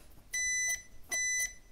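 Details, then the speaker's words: Multimeter continuity beeps across the front gang of an old 1960s-70s air-gap variable capacitor for a crystal radio; the rear gang stayed silent, the front beeps, badly shorted: continuity beep from shorted variable capacitor. "soon as you hear that sound the beep comes on so this one is badly shorted"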